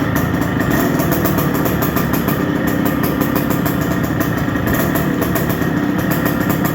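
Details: 1973 CZ 250 two-stroke, partially restored with electronic ignition and Mikuni carb replacing Jikov: steady, crackly idle holding an even beat, no misses or knocks; normal two-stroke idle.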